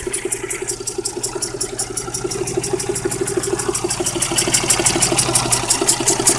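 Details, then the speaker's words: Geo Metro, 208,000 miles, replacement engine from a 94, idling: sharp, regular ticking knock about three times a second over the idle, growing louder, with a hiss; owner suspects the number one cylinder, unconfirmed. "it's starting to hiss and knock i don't know if you guys can hear that knock"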